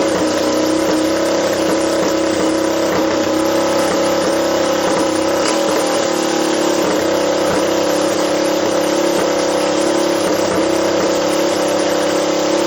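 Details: Doodlebug minibike with swapped Lifan LF200 (163FML) single, carburetor re-jetted with leftover Keihin jets: steady even drone, picks up cleanly with throttle, no stumbling or popping; properly tuned, normal running.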